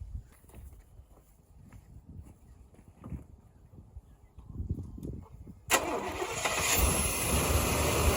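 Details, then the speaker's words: 1989 GMC Suburban V1500 4x4, sat on a ranch since 2006; an injector may still be leaking. Near silence, then the engine catches just before six seconds into a strong, steady run with no knocks, moving under its own power. Normal running. "it's the first time this thing's moved in its own power in probably 18 years"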